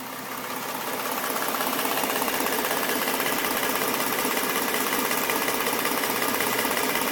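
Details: 2011 Ford Mustang V6, stock engine, 24,000 km, at idle: fast, fairly even light ticking of about two to three beats a second. The owner suspects a knock from the passenger-side cylinder head; the left head sounds fine apart from the injectors.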